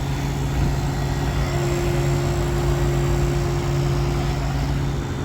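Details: Refrigeration unit after a solenoid valve replacement, ice melted, refrigerant added and a clear sight glass: constant low compressor hum with a steady tone and no rattles or surging. Normal running.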